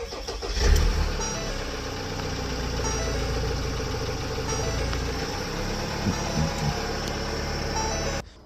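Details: Ford Transit Custom EcoBlue diesel that intermittently wouldn't crank or start, as if seizing; with the alternator belt removed it cranks briefly, catches at once and settles into a steady, even idle with no knocks or misfires; normal start and idle.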